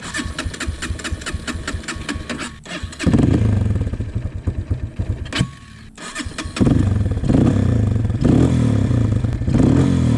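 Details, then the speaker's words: 2003 Honda CRF230F, carburetor being jetted and adjusted after fuel leaking from overflow, running rich/lean symptoms: after one more adjustment, choppy cranking catches, stumbles, dies, then runs rough; hard starting, cause unconfirmed. "Made one more adjustment. Oh. Now it doesn't want to start. It's not good."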